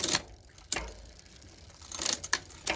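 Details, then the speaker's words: RCB GK2 budget mountain bike, front derailleur just adjusted and tightened. A few crisp clicks with brief chain rattle as gears change, no grinding; clean front shifting now, possibly slight scratching on the plastic cap. "जैसे ही आप इसे सही तरीके से करते हैं, यह काम करता है। फ्रंट डेरेलियर भी सही ढंग से एडजस्ट करने पर काम कर सकता है।"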